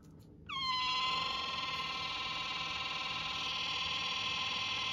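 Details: Sharper Image massage gun with a loud, steady high squeal near 1 kHz that starts with the motor, pulses slightly and persists at any speed setting; dry internal friction, to be fixed without disassembly since the rear cover won't unscrew.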